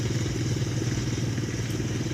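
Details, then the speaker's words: Ford Explorer engine idling with STP engine flush added before a Castrol Edge oil change, two to three minutes after start; rough rapid idle with heavy loud clatter that has settled somewhat, cause unclear, possibly the oil. "all right this is uh two minutes later or three minutes later so if you're still here it's pretty loud but it definitely settled down"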